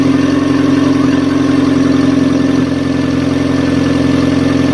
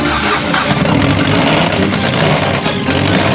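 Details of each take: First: Fiat Stilo with replacement engine, first start after redoing the timing belt, which had caused poor idle: smooth, even idle with a steady low hum, no misses, ticks or knocks; runs perfectly. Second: Fiat Stilo with replaced engine after snapped timing belt, timing belt redone; idle shaky and surging, hunting for air with no settled rhythm: rough idle, owner still searching for cause.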